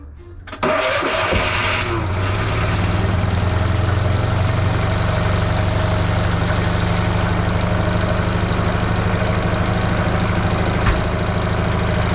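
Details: Fiat 500 (flood-saved) started right after replacing a sloppy engine mount at home: cranks briefly, catches cleanly, settles into steady, even idle with no knocks or misses; sounds pretty good.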